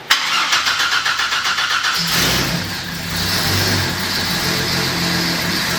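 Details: 2010 Camaro SS project with turbo Vortec 4200 swap, very first start, no coolant in yet: about two seconds of quick steady cranking, catches at once and settles to smooth even idle; healthy start.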